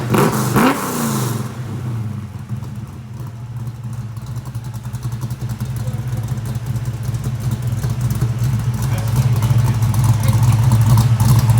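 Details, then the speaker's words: Ford 347 stroker V8 with Anderson N91 cam, 9.5:1, 205cc heads, 750 carb, after lifter change: lumpy choppy idle swelling into strong even revs, no tapping left; healthy, exhaust leak at the collectors noted. "I love it. That sounds good, don't it? Popping popcorn."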